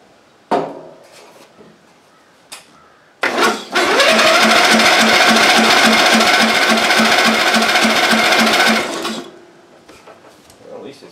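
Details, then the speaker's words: Ariens machine sitting in a shed for years, given starting fluid: starter drags the engine over at a slow, steady chug of about three or four per second, the weak battery labouring. "battery's still kind of weak so it might not crank i don't know we'll find out"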